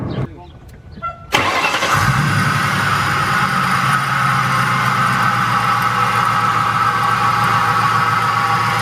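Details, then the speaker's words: 1999-2004 Mustang GT after belt reinstalled: cranks and catches, then idles with a steady high squeak over the engine rumble; idler pulley grinds and shows burn marks, the suspected cause of the squeak. "Alright, so as you guys can see, when I turn on the car, it still squeaked. But the issue is this idler pulley right here. If you listen closely, it grinds."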